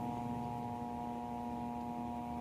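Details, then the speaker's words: Altec Lansing 2.1 speaker system under repair: one supply rail measured 18 V instead of 12 V, now about 11 V; steady low mains hum persists with no audio playing, suspected IC damage from the high voltage. "Uy, meron pa rin mga boss ah. Monitor natin yung supply. Bakit may ugong pa rin?"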